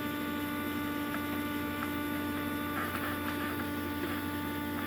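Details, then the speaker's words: Cummins-swapped squarebody Chevy diesel truck after installing dual plastic fuel tanks with one filler neck: steady, even electric lift pump hum at fixed pitch, no surging, sounds like it's pulling fuel, priming normally. "yep sure sounds like it's pulling fuel"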